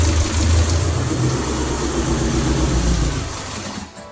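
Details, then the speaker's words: Built Talon DSM on DSM Link V3 speed density, first start attempt after a 4-year build with ignition timing and battery issues: engine catches and stumbles with an uneven, lumpy beat, then dies; sounds like misfiring, cause unconfirmed. "it sounds like it's misfiring crazy huh yeah"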